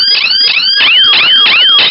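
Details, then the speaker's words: DIY laser tripwire security system, siren triggered by a finger breaking the laser beam to the LDR, then deactivated: very loud, shrill siren sweeping upward about three times a second in a steady pulse. Intrusion alarm sounding. "so it's extremely loud everyone's going to hear it you'll hear it within a you'll hear within several house radius i imagine it's extremely loud pulsing headache can give you a pulsing headache"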